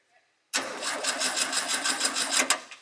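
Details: SpraCoupe engine for a 1961 VW bus, with the coil from the original bus engine replacing the bad one: silence, then the engine fires straight away and settles into a quick, even chatter; it starts and runs cleanly.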